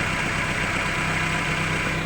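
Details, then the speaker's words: Chevrolet Lova with a mud- and rust-clogged fuel pressure regulator, a blocked return and a burst fuel pump: uneven, lumpy idle with a shaky pulse. Engine vibrates; rough idle from leaking injectors. "ini kondisi mesin bergetar sama seperti kemarin"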